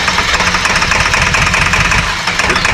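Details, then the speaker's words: 2002 Ford F350 7.3L diesel, 238K miles, first start after injector cup and O-ring job: lumpy, stumbling idle, firing only on driver's side. "The bad part was it was only firing on the driver's side. So it sounds like full of gobbledygook. I was hoping it would clear up, but not."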